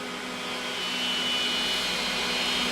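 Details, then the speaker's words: Cooling fan for a Mr Lee's 2x12 Xforce amplifier pulled against the cabinet, low pressure from restriction and velocity changes; slight bearing play noted, happens with any fan: airy rush swelling with a thin whistle; airflow restriction noise. "So when you pull this thing up against the cabinet, it creates a low pressure because of all the restriction and velocity changes in the airflow. And it starts to make a bunch of weird noises."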